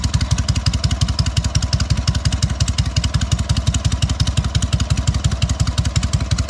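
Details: Freshly fully rebuilt SOKÓŁ 1000 motorcycle, only briefly pre-warmed, still being run in: deep, even exhaust thumps at an unchanging pace, no misses, knocks or rattles; normal running, clean and healthy.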